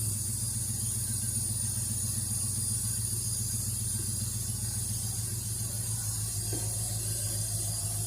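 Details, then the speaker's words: Ford Fairlane scrapyard rescue after mechanical fan install, idling: strong airy hiss over low pulsing engine note, unusually heavy suction through carburetor, cause unclear. "I don't know if you can hear how much suction there seems to be going through that carburetor. That seems like an awful lot to me. I've never heard one like it's just sucking so much air."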